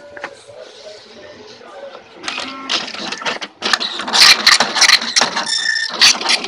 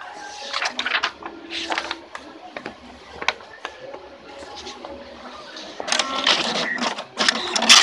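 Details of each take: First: Tally T5040 dot matrix printer clattering with loud, irregular bangs while printing a status page, giving scattered, messy print. The cause is an overly loose print head carriage part. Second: Tally T5040 dot matrix printer test print after tightening a loose print head bolt: even buzzing passes and carriage shuttles, sounding normal, replacing the earlier loud banging and scrambled output.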